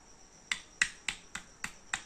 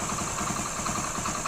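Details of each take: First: Old Hero Honda Splendor four-stroke single, engine opened and not running, connecting rod rocked by hand: sharp metallic clicks three or four a second; excessive connecting rod big-end play on the crankshaft. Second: 2008 Hero Honda Splendor carbureted single: even, quick idle beat with light top-end ticking and no deep knock underneath; runs very smooth, normal idle.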